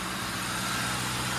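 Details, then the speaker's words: Ford Crown Victoria idling after repairs (coolant temperature sensor reused, clamp refitted): smooth, even idle with a steady low hum, no clatter or misses; purrs like a kitten, running fine. "And it doesn't make any kind of clattering noise. It doesn't run bad. It runs just fine. Purrs like a kitten."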